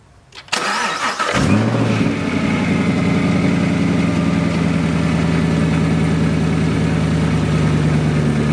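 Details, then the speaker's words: Whipple-supercharged Camaro SS 1LE, fired up after belt installation with residual oil smoke burning off. After a brief crank it settles into a steady idle with a light, even blower rattle, which it has made since day one: a normal supercharger gear rattle. "usually these whipples you'll hear like a slight kind of little it'll sound like a rattle at normal"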